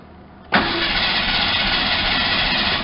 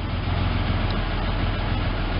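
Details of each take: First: Ford Ranger pickup unstarted for about 8 years, after a new fuel pump and 5 gallons of gas: the starter spins about two seconds, it catches briefly, then dies at once. Crank-fire-stall from lost fuel pressure; an unplugged connector was later found. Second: Ford Ranger pickup, first run after about 8 years sitting, new fuel pump: steady, even low idle rumble with no knocks or misses, though a slight hesitation is noted; owner suspects a plugged fuel filter or old gas.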